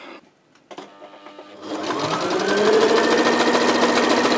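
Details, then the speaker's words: Sewing machine after repair: it had knocked and dragged on zigzag because a burr with sharp 90° ribs caught the thread. After the ribs were cut smooth, it runs a steady, even stitch rhythm on wide zigzag settings 9–11 with no knocking. "ремонт окончен видите строчка отличная идеально ничего не стучит вот такие бывают неисправности"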